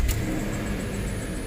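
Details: 2005 Land Rover LR3 4.4L V8, misfiring over a year after failed repair attempts, codes P0300 and cylinders 2, 3, 4, 6, 7: catches and settles into low lumpy idle, misfire felt on cylinder seven; catalytic converters possibly damaged.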